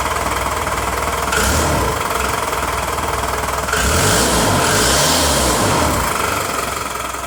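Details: VE-style injector pump diesel idling right after its injection timing was advanced: a sharp, fairly even clatter of about four knocks a second, a loud combustion knock likely from the advanced timing.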